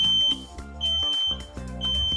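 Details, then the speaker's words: New Kidde 10-year combination smoke and carbon monoxide alarm, activated on its mounting plate and test button pressed: shrill high-pitched beeps three times in a steady on-off pattern, confirming the detector works. "these 10-year worry-free alarms are great because they activate once you attach them to the mounting plate you'll hear the chirp and then you can push the test button to confirm that it's working"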